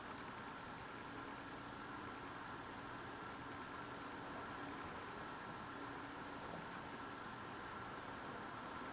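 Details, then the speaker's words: Loud idling noise heard at night through a frozen-shut window on a very cold night; faint steady droning hum under hiss like a distant engine idling, unchanging pitch; not a generator, source unknown. "And the noise I hear outside is so freaking loud. I can hear it through the window."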